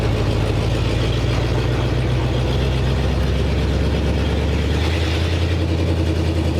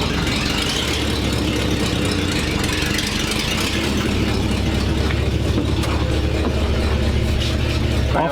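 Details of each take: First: 1947 Ford panel truck with a new custom exhaust, driving: steady deep engine rumble, quieter than before, with a faint puffing tick under the drone; an exhaust leak still suspected up front. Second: 1942/1947 Ford panel truck after new custom exhaust over axle replacing pipe dumping by passenger door; deep even idle burble, less obnoxious; normal idle.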